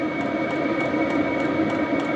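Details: HCalory diesel air heater installed in a toolbox for overlanding, running in heating mode with heat output: steady blower whine with soft even ticking, no rattles or surging; normal running.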